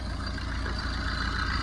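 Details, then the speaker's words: 2011 Tata Vista diesel, 124,000 km, idling with belts off after water pump and AC compressor bearing noise removed: loose rattly knock under idle rumble from broken intermediate drive-shaft bearing housing. "Friends இந்த noise எங்கே வருதுன்னா இந்த try ஷாஃப்டோட இன்டர்மீடியன்ட்டு இங்கே பாருங்கள். இந்த இன்டர்மீடியன்ட்டோட housing பாருங்கள், சுத்தமாக உடஞ்சி போயிட்டுருக்கு. இதனால தான் இது ஒரு நாய்ஸ் வருது."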